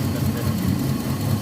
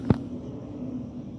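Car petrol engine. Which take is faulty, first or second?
first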